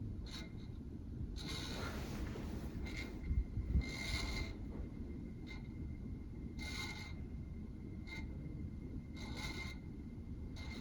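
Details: 1985 Casablanca Victorian Gallery Edition ceiling fan, 40 years old, on speed three; quiet hum broken by a soft scraping rasp about every 1.5 seconds. Owner hears bearing noise and thinks it needs greasing; sound went away at higher speed.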